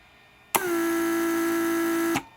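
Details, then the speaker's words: Mercedes S320 repaired PSE pump testing park-assist antenna circuit: after reverse released, timer runs pump to create vacuum retracting antennas; steady clean hum about 1.5 s then stops; normal run. "there is a timer in it that's going to actually create vacuum now to pull antennas back down into"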